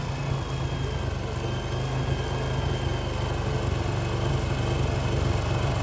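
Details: TVS Apache RTR after readjusting the rocker bolts to fix a starting problem: starts, steady, even single-cylinder beat about four pulses a second, no ticking or rattle; the earlier noise from the air filter side is gone.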